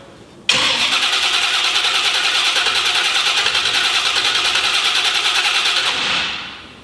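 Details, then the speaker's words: 1970 Chevy C10 truck after an earlier squeal; starter spins briskly and steadily about five seconds but never catches. Crew notes it's sparking, suspects no fuel or ignition module: cranks, no start. "It ain't getting no fire."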